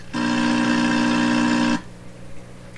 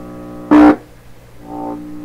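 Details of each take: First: 1928 RCA Victor Model 28V radio under repair: the signal-generator tone, heard through the signal tracer, comes out as a short, buzzy, rough, distorted tone that cuts off, where it used to sound clear; cause not yet found. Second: 1928 RCA Victor Model 28V radio, finger touching detector tube grid: steady low mains hum then brief loud buzzing burst that settles; normal detector response, suggesting grid leak resistor works.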